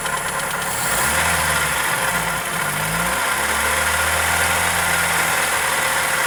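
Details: Toyota 2E engine (Corolla EE90) at steady idle with a light, fast tapping of about four per second over the engine note; ticking or knock of unconfirmed origin, valvetrain or connecting rod suspected.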